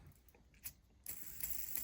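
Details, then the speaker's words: Traxxas TRX 3.3 nitro engine bearing, checked during clutch replacement: light clicks then dry gritty hiss; very bad worn, rough bearing needing replacement. "if you hear bearing noise like here's a bad bearing over here very loud bearing"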